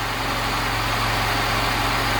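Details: Lada Niva idling after replacing water-damaged alternator with a stronger one, belt not yet tightened: smooth even idle, steady low rumble, no knocks, misses or whine; running healthy.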